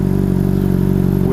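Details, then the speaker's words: 2007 Honda CBR600RR inline-four with Yoshimura RS5 aftermarket exhaust, throttle blipped: steady, deep burbling note with an even firing beat, no knocks or rattles; nice without being just loud, a healthy exhaust note. "You know, it sounds really nice without being just loud. Like a lot of these exhausts, all they really are is just loud."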